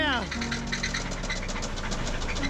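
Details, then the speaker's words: Subaru started after long storage: heavy, rapid metallic knocking rides over a rough idle, a severe rod knock; a hole in the block is suspected. "Oh my god, it sounds like a fucking AK fucking 47 BB gun. So bad. There's a hole in that block."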